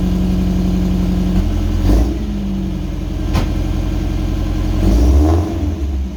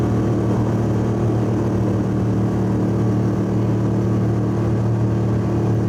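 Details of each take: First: Old Subaru wagon after replacing the X-Force straight-through muffler with a new welded-in muffler, first start: smooth idle with a few revs, deep subdued exhaust note rising cleanly, no rattles or blowing. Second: Subaru wagon daily driver, cabin mic, freeway at 100 km/h, 3,000–4,000 rpm under full load: steady deep booming drone from a fiberglass-packed, roughly 14-inch X-Force straight-through muffler, before replacement with a Lukey Turbo muffler.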